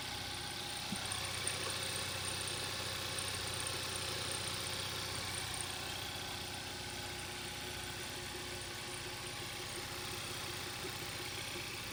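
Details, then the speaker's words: 2012 Hyundai Veloster 1.6 turbo (G4FJ, manual), on the first start after an engine teardown and reassembly to fix a knocking noise: a smooth, even idle with a steady hum and no knocking; the engine sounds healthy. "start it starts and I think there's no knocking noise"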